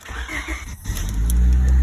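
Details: 1998 Honda Civic 1.8 with swapped engine and head change, previously no start, no spark and no ECU communication; after reattaching a broken-off ground it catches cleanly and revs smoothly and steadily with no misfire or knock; check engine light and communications now good.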